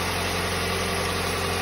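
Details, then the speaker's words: 2008 Hyundai Elantra idling with the A/C on and compressor running after replacing the A/C belt; steady, even idle with a smooth hum, belt running smooth with no squeal or chirp; normal idle. "yep belts are running on there nice and smooth"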